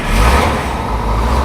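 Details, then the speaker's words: Crane truck, 513 hours: fires immediately and settles into a strong even low rumble with no misses or knocks. It starts this way every time, with oil pressure over 60 psi. "Starts that way every time. Run up a little air pressure and that valve will go off."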